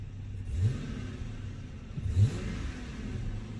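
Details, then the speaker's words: Dodge Magnum with a newly remanufactured 345ci Hemi V8 just after its first cold start, heard from the interior: a muffled low, even exhaust rumble with a couple of soft blips. Runs smooth and healthy. "Ooh. Get a little exhaust note in the interior."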